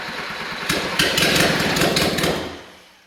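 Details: Freshly rebuilt Suzuki SJ410 F10A engine, first start on a temporary frame with makeshift wiring harness: fast uneven churning as the starter spins it a few seconds, never catches, then fades; long crank, no start, cause unknown.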